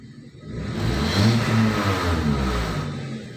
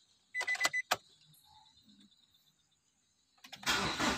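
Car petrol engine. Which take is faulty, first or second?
second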